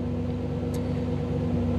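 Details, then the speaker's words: 1985 Camaro IROC-Z TPI new engine build with an OBD-I scan tool plugged in. Idle stays fast and timing is increased, giving a slightly uneven exhaust pulse and random misfire in neutral. Idle drops once the tool is unplugged. "i couldn't get the idle down it kept running fast like this and if you go back and listen to the exhaust the the timing is also increased and the timing is high enough that you start getting some random misfire in neutral"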